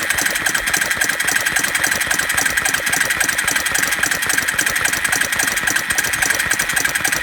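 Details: Suzuki Quad Runner 250 ATV under restoration, briefly turned over on its starter motor with a little oil down the bore and no spark connected yet: fast, even chattering whir of normal cranking, engine not firing.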